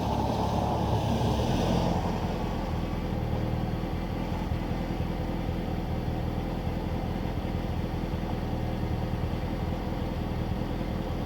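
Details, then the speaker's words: Mitsubishi Lancer EVO 6 with Kaaz LSD clutch packs on a test drive after Amsoil LSD treatment in the transmission and differentials: steady driving drone with road rumble; the earlier clicking and chatter are gone. "Okay guys, it's not clicking anymore, but I can really hear it, so I think I did good."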